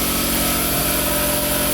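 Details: Newly installed Quincy 5hp two-stage air compressor, recorded right next to it, building pressure toward about 168 psi cut-off: loud, steady pumping hum with an even low thump, no knocks or squeals; healthy.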